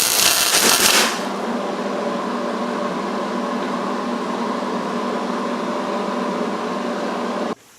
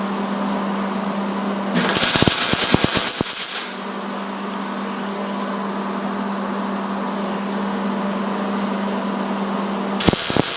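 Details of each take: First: MIG welding a bead on roll cage tubing with insufficient shielding gas: steady harsh, rough, spattery crackling arc instead of a smooth sizzle, leaving an ugly, porous, bubbled weld. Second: MIG weld on thick metal with the heat cranked up and the wire speed slowly tuned until it sounds right: bursts of steady, even crackling sizzle like frying bacon, with a low hum between passes. The weld is properly tuned, with a stable puddle and good heat.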